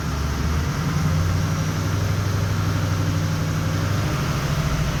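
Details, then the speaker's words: 6.0L Power Stroke diesel idling during a power-balance test: deep, uneven, lumpy beat that keeps stumbling as cylinder 7 drops out. The engine loses all odd bank-1 injectors (1, 3, 5, 7). Voltage is good and the FICM is brand new. "see that number 7 dropping out? That's not running the greatest, but it's gonna get worse."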